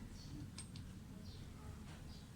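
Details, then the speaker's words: Mitsubishi Adventure speedometer bench-tested after repair: soft low hum with a few faint ticks, no longer noisy or jumping to high readings, a fault that had started at 60 kph. "Tahimik na siya mga sir. Hindi na rin siya nag-hig speed."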